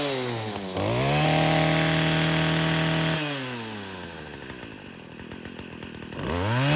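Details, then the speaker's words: Stihl FS40C trimmer running after a new spark plug cured its no-start: crisp two-stroke buzz revs cleanly up and drops back to a steady idle without stumbling; normal running. "Well, I guess that's it for the steel FS40 that wouldn't start. Sometimes it's just the simple things. And in this case, it was simply a spark plug."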